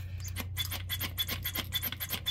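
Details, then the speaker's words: Old mechanical fuel pump off a 1979 GMC C3500 small-block 350, hand-pumped on the bench: dry hissing rasp of escaping air about every third of a second, no firm oink pulse, air felt at the side and pump jammed; perforated, leaking diaphragm. "it's supposed to make a sort of oink sound and I'm actually kind of feeling air along the side here and so it definitely seems like it has some sort of perforated diaphragm because it's just not making the right noise"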